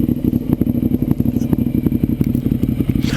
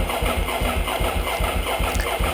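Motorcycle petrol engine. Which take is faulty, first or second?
second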